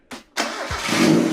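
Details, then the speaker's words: $500 Mazda Miata abandoned six years, restarted after clutch test: brief crank, catches at once, steady even running note with no stumble; runs like a brand new car, healthy start. "It literally runs like a brand new car. That's crazy."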